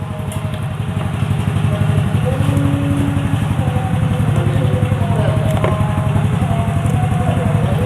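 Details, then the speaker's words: Older carbureted Honda Vario 110 scooter that wouldn't start due to flat battery; idling with negative battery cable disconnected and staying running, showing regulator is good; steady even putter with no stumbling; normal idle. "biar kabel negatif sudah saya buka dan motor tetap hidup normal berarti regulatornya masih bagus"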